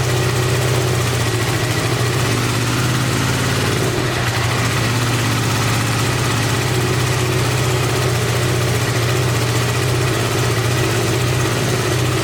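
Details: 1986 Honda VT500 Shadow V-twin, revived after years sitting, idling while warming up: steady heavy low thrum with dull lumpy beat; rear cylinder not firing, owner suspects ignition coil or mice-eaten coil wire, checking spark.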